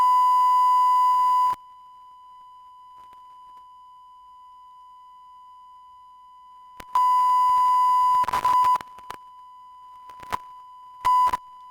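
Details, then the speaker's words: DBX 286s channel strip preamp tested with a steady 1 kHz tone from a smartphone frequency generator app into a microphone: audio drops out and returns, then stutters into noise bursts when gain is adjusted. Faulty input stage. "so this can also happen so it's not only that for example you have you have a popping sounds or that you have intermittent audio like it's the case in this sample here"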